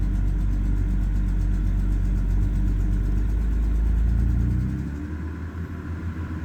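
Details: BMW E91 with N52B25 engine, persistent rough idle, unstable rpm and ticking despite repairs, with recurring DME codes 29F4 (P0420), 29F5 (P0430), 2DED (P160F), A46D: low rumbling uneven pulse about four times a second; cause unknown.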